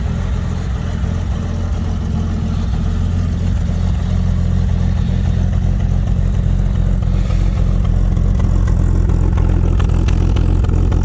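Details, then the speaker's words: Fargo/Dodge D100 cold start at night in snow after jump start: fast, steady idle holds high and creeps slightly upward instead of dropping; throttle stuck open, idle won't come down. "a little bit of cold start in the night action here oh a little bit of picturesque my idol doesn't want to come down interesting"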